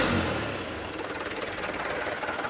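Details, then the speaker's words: Mitsubishi Canter 125HD 4D34 diesel, first start after piston ring replacement following overheat from lost radiator water (No. 4 piston scored), new radiator and turbo fitted: steady even idle clatter, no knocks or misses. "Oke hidup dia ya Oke dia udah hidup ya mesinnya"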